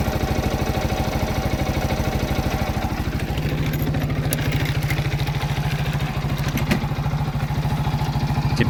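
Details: Viper Active moped after the knock from failed dampers was fixed, found with metal debris in the oil at 22,000 km: idling without muffler, loud crisp steady popping, no knock, almost like new.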